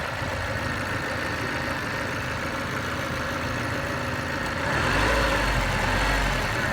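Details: Mazda 323F (BA) engine at steady idle with a faint, fairly regular tapping about four times a second over the engine hum; engine knock present, cause undetermined.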